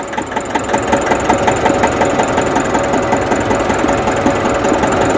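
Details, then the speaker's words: Nissan NV350 diesel just after starting, following a no-start: uneven shaking with a loose knock pulsing near three times a second, later smoothing out; rough running, cause suspected, not confirmed. "kalog masyado yyung engine so ayan oh ayan oh parang gitugnaw at saka knocking pa"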